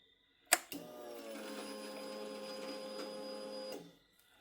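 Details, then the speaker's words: Yamaha YZF R6 with no-start: click then even electric hum for about three seconds cutting off cleanly while priming with air still in the system; normal fuel pump prime. "I heard her doing a little something something in there, but she's got a lot of air. I can hear it. That sounded better. I think one more might get it."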